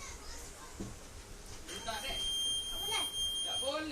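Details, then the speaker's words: 2013 Honda Beat with finished keyless remote install, ignition on and turn signal switched on: thin high-pitched electronic buzz holds over room noise; keyless buzzer sounding with the indicator as intended. "Posisi motor saat di on akan mengeluarkan buzzer ya jika lampu sennya dinyalakan. Mantap ya."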